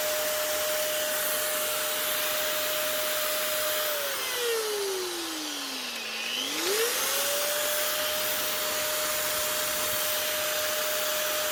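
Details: Metabo MFE40 twin-blade wall chaser, second of two units, fault heard on first run: steady high motor whine that sags under load then recovers, with a rough gritty edge. Worn bearings; new bearings needed.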